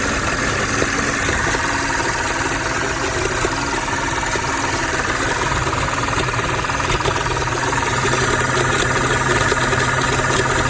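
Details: 2006 Audi A6, rough idle noticed two days ago along with power loss at low speeds: uneven loose stumbling beat about three pulses per second; owner suspects PCV valve, unconfirmed.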